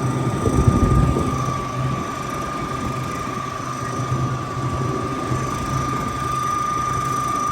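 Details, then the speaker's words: CU 1A refrigeration condenser unit on the roof, dairy box: rough low rumble with steady high tone, condenser fan motor bearings worn, one of two fans suspected. "they call for a noisy fan which is coming from up there sounds like the bearings are going so it's either this one or this one"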